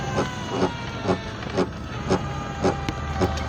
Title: Scooter grinding noise